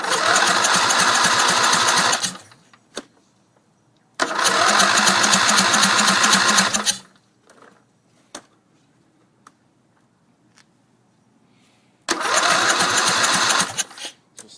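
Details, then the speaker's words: Briggs Intek engine on a racing tractor with stock throttle, primed with gas down the intake: catches and runs rough about two seconds then dies, three tries in a row; starving for fuel once the prime is gone. "not getting gas but uh stay tuned it will run"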